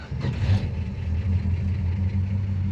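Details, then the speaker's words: 1969 Dodge Dart GT V8 after about 12 years sitting, with a fresh carb and ignition module, at about 105°F outside after sitting a day; it catches within half a second into a steady, even low rumble, a normal start. "That new carb's great. It just starts right up. And it's uh as you can see there, it's charging the battery."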